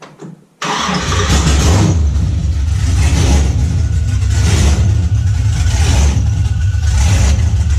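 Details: LS V8-swapped Nissan 350Z on its first run after the swap: a loud, lumpy, uneven idle with a choppy low rumble; it still needs a fuel pressure regulator and fuel adjustment.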